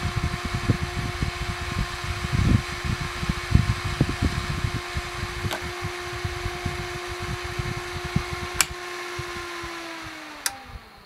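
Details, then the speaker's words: Mean Well SE-450-24V power supply powered with no load; its large always-on fan gives a loud steady whir with constant hum, worse inside the case, winding down at the end: loud cooling fan noise. "if you just power it on nothing connected this thing is going so i'm gonna illustrate you how loud it is okay guys get ready to be deaf well actually it's not as bad but for some reason it's so much worse when it is in the case but it's still pretty loud"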